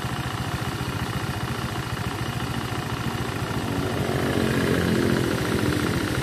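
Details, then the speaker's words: Honda Vario scooter that burns and leaks oil, run with the CVT removed: a regular hard knock deep in the crankcase, about three to four a second at idle and busier as revs rise. Suspected conrod or crankshaft bearing; to be confirmed by teardown. "Iya kan, jelas sekali suara entah shaker entah stang. Intinya pada area kruk as, stang dan shaker."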